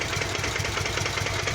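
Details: Kawasaki VN 800 Vulcan, newly bought, at low idle in garage: light regular tapping over lumpy V-twin beat from lower engine, disappears at higher rpm; mechanic suggested loose cam chain, cause unconfirmed.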